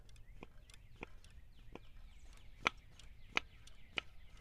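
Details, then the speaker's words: Removed BMW M52 DISA valve, flap worked by hand: uneven clicks with a dry, scratchy crunch as it drags and sticks instead of snapping back; the owner suspects the return diaphragm in the end is crinkling, or a linkage fault, unconfirmed. "all crunchy. Not really sure what's going on. There is another little diaphragm in the end of this here and that has to do the return also. Something's something's going on with that diaphragm."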